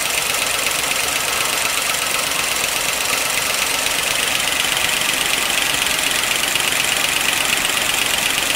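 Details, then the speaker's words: 1955 Pontiac Chieftain on fresh 10W-40 with Marvel Mystery Oil, always clackety: a light, rapid metallic ticking over a steady idle. It is gross under the valve cover, but a pushrod was not clogged; valvetrain clatter, cause unconfirmed. "every time this engine has run it's been a little bit loud a little bit clackety so i pulled off the valve cover and yeah it's gross inside but it doesn't explain it"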